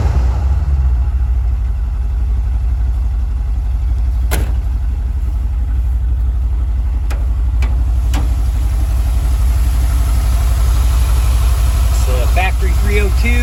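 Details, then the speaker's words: 1974 Ford Bronco V8, after restoration mechanical work, before first test drive: deep, even rumble with steady beat, no misses, knocks or ticks; smooth idle, though owner unsure it's a strong runner, compression untested. "purrs along pretty good. I'm not sure if it's a very strong runner or not, so that's why I wanted to get it out and give it a test drive."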